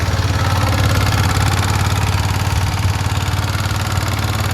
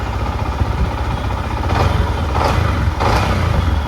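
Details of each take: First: Yamaha MT-15 single-cylinder idling with a light, even tick about three to four per second; very loose rocker/tappet clearance, VVA rocker also checked, needs adjustment before riding; valve tappet ticking from excessive clearance. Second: Yamaha MT-15 at idle after tappet and VVA rocker clearance adjustment to fix a rocker ticking noise, check light now off: a steady low idle with light throttle blips and no top-end ticking; the valve train sounds quiet and healthy.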